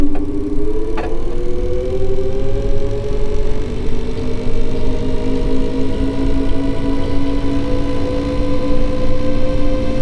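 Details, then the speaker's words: Late 2005 Power Mac G5 Quad, cold start, microphone handheld at the cooler: steady whirring fan tones climbing in pitch as they spin up, likened to a T-800 Terminator starting; normal cold-start fan noise. "it sounds kind of like a t800 terminator starting back up it sounds really cool it's a really cool sound to hear"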